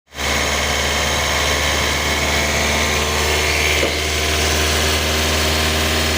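Steady idle with a harsh, hissy rattle sitting over the low hum throughout; something's noisy up top, but the source isn't clear.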